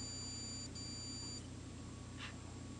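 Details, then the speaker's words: Joule thief circuit with small salvaged toroid powering a CFL from a 1.3 V battery, on connecting the battery: thin steady high-pitched whine with a fainter higher tone above; converter oscillating normally. "toroid you're going to hear it winding in a minute I'm going to connect up the battery"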